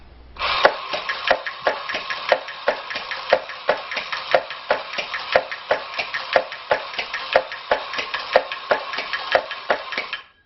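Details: Mambo the electric drumming bear after repair, previously not working, fixed with a drop of Super Glue: crisp evenly spaced taps about one per second, steady and unbroken; drumming mechanism now works normally.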